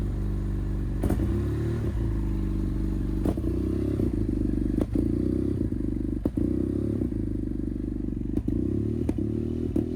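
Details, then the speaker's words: 2015 BMW F800R twin with check engine lights after washing: a fast, uneven idle with revs wandering up and down and occasional clunks; unstable, high idle and weird throttle response, owner suspects a temperature sensor or thermostat. "but there are also other issues with the throttle response that's really weird."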